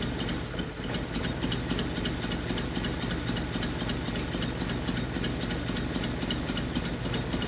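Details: 1981 Nissan 280ZX inline-six, five-speed, sitting about 15 years, during an injector click test: the idle lumps unevenly with dropped pulses as a cylinder cuts out; a dead injector is the cause. Cylinder misfire.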